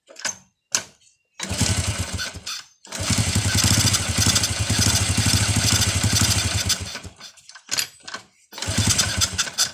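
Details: First-generation Honda Revo carbureted motorcycle starting: engine catches and runs rough for a few seconds, won't take throttle, dies and is restarted several times; ignition and spark checked normal; blocked pilot jet starving it.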